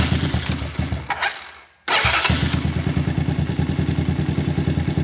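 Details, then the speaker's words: 2014 Honda TRX250 ATV cold-started on a freezing night, on choke after a fresh spark plug during a full service: sputtering catch that stumbles and dies, then refires into quick uneven thumping idle; notoriously hard cold start, choke needs fine adjustment. "You gotta play with the choke to get it just right. These machines, like I said, very hard to cold start. They're notorious for it."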